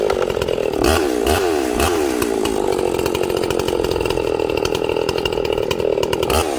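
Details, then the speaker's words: Ported Echo 670 chainsaw on first break-in cut, low jet leaned about a sixteenth turn: snaps up to full revs cleanly and holds a slightly burbly, rich note in the wood; healthy rich break-in tune. "hey you guys hear that it's it's nice and rich look at the oil man does this power saw oil okay this saw is nice and rich so i'm gonna cut with it rich"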